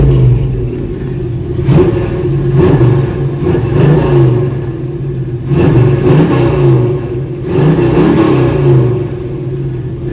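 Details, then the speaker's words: Chevrolet C10 engine first run in about three weeks, belt squeal still present: revs rise and fall with a faint, irregular light rattle over the roar; source not identified. "so you can kind of hear it rattling a little bit about to drive me crazy"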